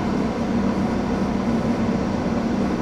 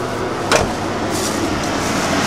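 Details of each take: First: 1989 Ford F-150 4x4, 5.0 V8, 5-speed manual, cold, restarted after the IAC valve was reconnected: a steady, fast, even drone with no dips. High idle with the IAC connected; it was earlier disconnected to keep rpm low for a dry engine. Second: 1989 Ford F-150 4x4, 5.0 V8, 5-speed manual, with twin-intake-hose upper manifold, replaced alternator and new timing chain, warming after a cold start: a low, quiet, even idle with a soft steady rumble and no ticking or knocking. Healthy.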